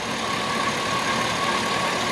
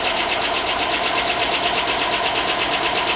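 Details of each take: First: Chevy Tahoe 5.3 LS V8, bought not running and long unused, later in the run after corroded grounds were fixed: steady, even idle with no top-end ticking; runs smooth and quiet, far better than it sounded earlier. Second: Chevy Tahoe 5.3 LS V8, long unused, on first start after corroded grounds were fixed: a fast, even light tick rides over the idle and follows engine speed; the owner hopes the lifters will pump up, since the oil is good. Cause not confirmed.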